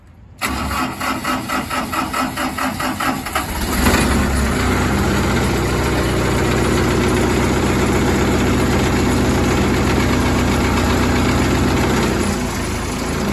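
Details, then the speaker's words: 12-inch, 86 horsepower brush chipper with a spring-loaded clutch, started while holding the Murphy switch in: the diesel cranks in quick even pulses, catches at about four seconds and runs steadily; the drum is heard spinning, no jam, normal startup. "I can hear the drum spin, so I know I don't have a jam. I know I'm clear."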